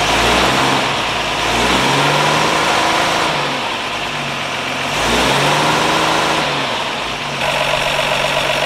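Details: 1952 Ford F1 truck just revived, solenoid jumped, positive ground: engine revs up and drops back every couple of seconds, pulling cleanly and returning to an even idle without stumbling.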